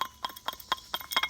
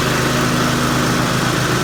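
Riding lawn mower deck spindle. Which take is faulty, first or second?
first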